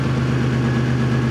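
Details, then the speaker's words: 2000 Toyota 4Runner 3.4 with P0300/P0305 misfire codes, after swapping ignition coils between cylinders one and five: even, steady idle with loud deep exhaust drone, no stumbles; all cylinders firing cleanly, normal idle. "now granted it's a little loud because of the exhaust but how smooth it is I cannot believe how smooth it is"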